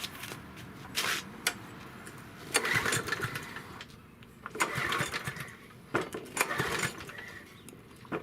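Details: Yard Machine 6 HP 21-inch lawn mower that had sat unused in a backyard for over a year: uneven pull-cord cranking bursts with sputters, and the engine never catches; crank, no start.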